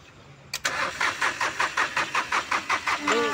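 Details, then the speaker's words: VW Polo diesel with a starting problem traced to injector back leakage, worst on injector no. 3: long cranking of about eight slow, even strokes before it catches late; extended cranking. "Cranking ज़्यादा ले रहा है, चलिए start करते हैं। एक cranking ज़्यादा ले रहा है, लेट से स्टार्ट हो रहा है, और 3 नंबर इंजेक्टर तो ज़्यादा ख़राब था,"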